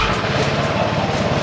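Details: Vespa scooter after replacing its roughly three-year-old battery with a HEOMAITO 6MF7L and cleaning a corroded ground connector: starts much better and runs with a quick, even single-cylinder putter and no misses, healthy.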